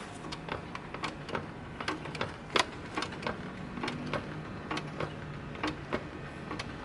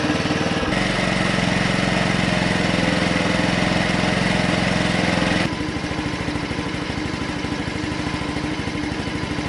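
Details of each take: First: Honda C90 Cub project bike: pumping the suspension gives uneven dry clicks and squeaks with every stroke; worn suspension, one side not working at all, whole set to be replaced. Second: Honda C90 Cub project bike after carburetor rebuild with all rubber seals replaced, no longer leaking: small single putters at an even, steady idle, note dropping slightly partway through; runs smooth, normal idle.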